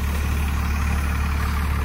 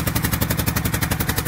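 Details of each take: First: 1997 Dodge 2500 12-valve Cummins, four-wheel drive, cold start in snow without being plugged in: a deep, even diesel thrum at steady idle, no misses, knocks or blow-by chuff; a healthy-running engine. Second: 12-valve Cummins diesel, cold start after sitting a long time: sharp, even puffing tick about twelve times a second from an exhaust leak near the back side of the head, possibly a crack or something busted there.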